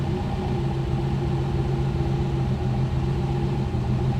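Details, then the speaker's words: 1969 Mercedes-Benz 280SE (W108) during restoration, idling after first drive: low rumble with a faint uneven sway, the idle not settling (wobbly idle); cause not identified. "The radio just came to life. That's never made a sound. Uh-oh. Now we got the wobbly idle."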